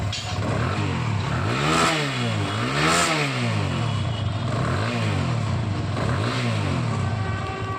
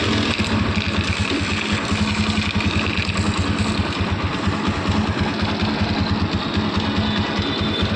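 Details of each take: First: TVS Apache single-cylinder after repair, revving: smooth rise and fall, earlier rattle gone; it came from a loose starter one-way clutch bolt hitting the magneto coil, bolt tightened, one-way clutch replaced. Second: TVS Apache motorcycle engine idling with a harsh, clattery rattle over steady firing pulses; abnormal engine noise, cause suspected, not confirmed.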